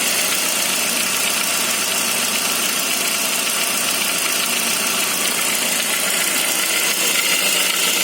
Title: Saab 9-5 cold engine strange noise